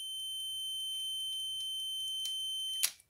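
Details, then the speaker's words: Sauter clock after cleaning, testing the contact on terminals 3 and 6 while turning the dial: clean, steady high-pitched continuity beep that holds then cuts off; contact closes normally. "donc ça c'est le même contact tac donc la norme si je tourne non avant ça devrait s'enclencher oui"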